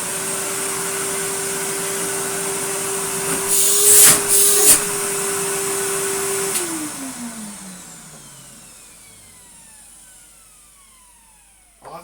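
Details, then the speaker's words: Henry vacuum cleaner after a replacement motor was fitted, with the flange tapped down to seat it: a steady high whine that spins down smoothly after switch-off. Not the original sound, but not as bad as the feared screamer motor; it runs normally. "it's not the original sound but quite honestly it's not as bad as i was thinking"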